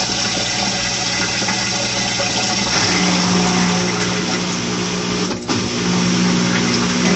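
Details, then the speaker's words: New Maytag Bravos washer on drain and high spin: steady loud whoosh of water and motor with a low hum and even drum rumble, no knocking; normal. "So the last thing I want you to see is at on high how fast and hear the vibration of how fast the spin is, and hear the vibration and the noise, because I know some people claim that it's quite loud."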